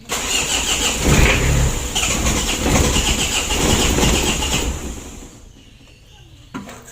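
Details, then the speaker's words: Mitsubishi L300 diesel, hard to start and lacking power, with oil, battery and glow lamps working: starter turns it steadily about four seconds but it never catches; previously only started with starter plus a push. "coba lagi kalau kita apa sabun sampai bacot ekor tidak mau temen-temen tidak mau hidup begitu ya"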